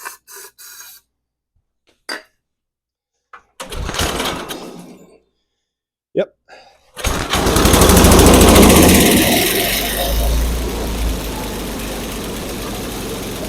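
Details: Barn-found Snapper chipper shredder, 8hp Briggs & Stratton, carburetor jets sprayed without disassembly, choke on, carb cleaner: several failed cranks, then it catches and races briefly before dying; carburetor still gummed up.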